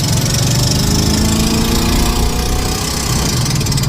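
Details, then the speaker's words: 1988 Monte Carlo SS on first drive: heavy uneven thumping, lumpy idle with loose knocking edge; engine running terribly, burning something and smoking behind the car, smells like catalytic; engine to be pulled. "that [ __ ] sounds terrible it's burning something yeah burning something real good"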